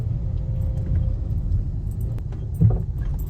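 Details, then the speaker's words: Car driving over potholes and speed bumps: low road rumble, then a loose hollow knock on dropping. Shock, control arm and CV axle were ruled out; the cause is a worn stabilizer bar link. "escuchan como que sí hay algo flojo. Entonces, ahorita vamos a checar qué es eso."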